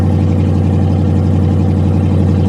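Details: Pontiac G8 GT V8, tuned, with the exhaust cut off, started at auction: deep, loud, steady unmuffled idle rumble from the removed exhaust system.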